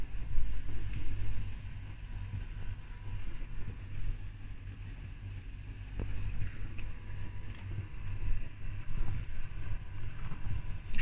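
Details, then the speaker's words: Beko WTIK84121 washing machine on Cottons 60 main wash: low, steady droning motor hum under normal irregular water sloshing, not normally audible. Unusual motor drone, cause unknown. "like that water sloshing and things is normal but you can't normally hear that motor sound I don't know what it is"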